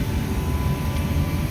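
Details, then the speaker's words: Two-year-old 100-ton Trane IntelliPak rooftop unit: supply blower at 100 percent yet only about 1 inch static, deep steady freight-train roar with no rhythm heard through a 4-story office building; blower overspeed traced to faulty static pressure sensing tubing. "just the blower man I mean it is roaring I don't know how well it's coming across video"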